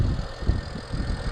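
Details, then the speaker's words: Used BMW 335i E90 warming up at idle during inspection: deep even idle with steady beat, no stumbles or shaking; no misfire, engine healthy. "That's a sign of a misfire. This engine looks good. Let the car warm up while you continue your inspection."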